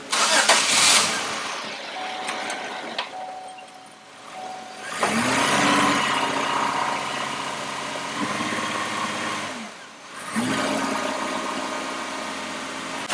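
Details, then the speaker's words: Warm engine after switching to closed loop, brake-torqued in the shop after bogging on a hill at about 40 mph and smelling rich: uneven, stumbling beat with dips in the drone; misfire under load, cause not yet diagnosed. "And if you listen close, you can hear it missing. Kind of hard to tell on the video, but it's clearly got a misfire."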